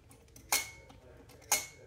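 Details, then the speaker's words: Bhava studio teak harmonium reed flicked with a thin tool. It gives a bright metallic rattling ping that fades quickly instead of a clean free twang. A buzzing reed. "and that's what a reed that's buzzing is typically going to sound like"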